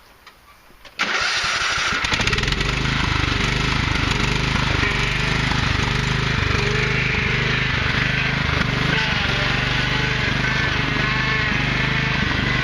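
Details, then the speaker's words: Husqvarna YTH 150 (AYP) yard tractor after carburetor cleaning and new fuel filter and lines: the engine catches after a second of cranking, then runs steady and even with no surging or stumbling; normal running. "I'd say that's not bad I think the wife found a good one"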